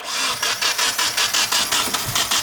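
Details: Nissan 240SX KA24DE engine cranks evenly at about five compression pulses a second but never fires or catches. The engine had been sitting and the battery was probably drained by priming. Compression and timing sound good, yet it cranks but won't start.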